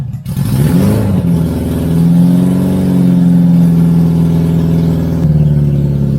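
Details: Barn-find 1983 Honda Goldwing GL1100 first start, old gas topped with fresh gas, new fuel filter, cold before warm-up: engine catches and holds a strong steady rev with smooth deep note, then settles slightly lower; running cleanly.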